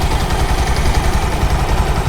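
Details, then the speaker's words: Bajaj Pulsar 220 single-cylinder after replacing timing chain tensioner to cure a tik-tik timing chain noise: steady, even idle with smooth low thrum and no top-end ticking; healthy. "अब गाड़ी चालू करके देख लेते हैं आवाज सुनिए आप कोई आवाज नहीं ए रही कितनी कुछ आवाज नहीं ए रही भाई"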